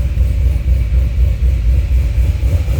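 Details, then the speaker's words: C6 Corvette Z06 with Akrapovic dual-mode catback, cold start, exhaust valves closed: deep even burble at idle with steady rhythm, quieter and more raspy, fewer low tones. "me get back there that does quiet it down quite a bit it makes it sound a little more raspy gets rid of a lot of the low tones that you feel in your chest all the time"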